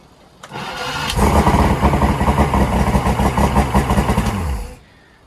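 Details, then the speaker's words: 225 hp Johnson V6 outboard, not hooked up to water, weak battery, after new stator and timer base fixed a no-spark fault: brief crank, then strong, even, rapid firing for about three seconds; leaks fuel, carbs need work. "so we got spark um it seems like a very strong running engine which is great"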